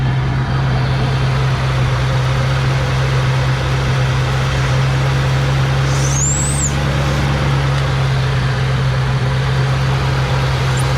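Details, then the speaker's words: Mustang Cobra idling rough and running rich with fuel smoke, broken-off vacuum regulator: a faint high whistle rides over the steady low idle from a vacuum leak at the PCV inlet, which is sucked flat, so the crankcase isn't venting properly. "we have a pretty good vacuum leak there. That is our PCV inlet and it's whistling pretty good. and it is also sucked flat."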